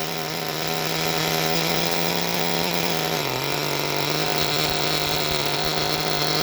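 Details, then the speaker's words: Force Pro 21 nitro engine on a starter box during a Todd Method break-in, idle raised to start: steady buzzing note with a brief sag, running soft, smoky and very rich. "We got good smoke. I like seeing that. We're good and rich."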